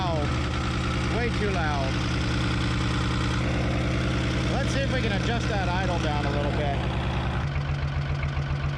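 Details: 1975 Chevy diesel stepside truck, sat 32 years, running with no muffler after driving under its own power: loud but even, steady low clatter with no hunting, settling to a slightly lower idle; normal idle.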